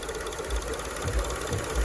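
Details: 2002 Acura RSX Type S with K20 engine, warmed-up idle surge: with the IACV air port blocked by a finger, surging stops and idle drops to about 500 rpm, indicating a stuck idle air control valve.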